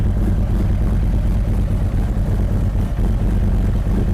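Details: 2023 Harley-Davidson Street Glide ST Stage 2 (CR483 cam, Bassani header, ThunderMax) during idle tune warming to 180°, tuner still making subtle changes: deep steady loping idle, even beat, no knocks or rattles; gauges dancing where they should, normal idle with cam lope.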